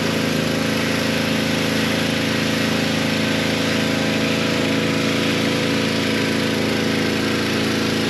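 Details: Pressure washer with replacement pump (4-bolt, 3/4 inch shaft): steady small-engine drone at one speed with light hiss, smooth and even, no misses or rattles; working after the repair.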